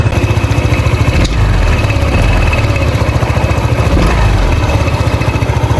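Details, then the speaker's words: Honda PCX 150 before CVT repair, engine running: uneven low flapping chatter about three or four times a second from the belt case; worn CVT pulley letting the belt slip. "dahil meron tayong Naririnig na hindi kaaya-ayang tunog sa kanya tigan natin start natin tigan niyo"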